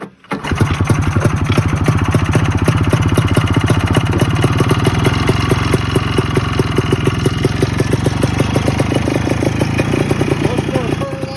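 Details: 1987 Ski-Doo Citation LS Electro 250 two-stroke snowmobile found at dump, makeshift fuel line with primer, gas possibly put into air box; catches after brief crank, settles into a fast, even crackle with no misses; normal running.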